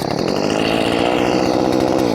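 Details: Poulan 2500 Farmhand (2900 equivalent), warm after cutting and oiling: crisp steady high-revving two-stroke buzz at even pitch with no stumble or misfire. Normal running.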